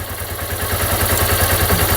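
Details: Dion 150 motorcycle at idle: quick, even metallic clatter rattling steadily over the idle beat; cam chain slack because the cam chain tensioner had failed, as shown when the tensioner was released.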